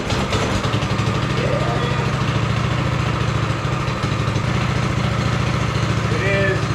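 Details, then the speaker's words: Go kart's small single-cylinder engine, freshly refitted carburetor, choke on and fuel on, warming up: quick even putter with a steady low thump, runs smoothly; normal warm-up idle. "warm up a little"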